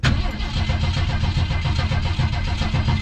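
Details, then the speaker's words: Vehicle that sat over six months through winter, cranked first for oil pressure, then throttle pumped ten times: low uneven chugging as it turns over without firing. Owner thinks it may need more gas; it almost catches. "Not yet. Maybe we need some more gas out there. Oh, it's like it almost."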